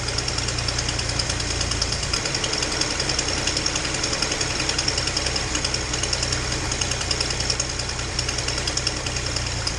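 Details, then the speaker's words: Datsun 240Z inline-six idling after misfire fix: fast, sharp puffing tick over engine note; exhaust leak on cylinder two, possibly at EGR port; idle still not great. "you can probably hear i got a bit of an exhaust leak uh and the idle's still not great"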